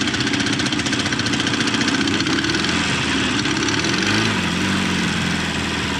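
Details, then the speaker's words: 1989 Volvo GL wagon, non-turbo B230 red block, driven with zero oil pressure, oil light on: hard rapid metallic knock over the engine at full throttle, window down, shortly before parts exit the block. Rod knock. "oh it's already running prettyy [ __ ] I don't think we're going to make it very far guys"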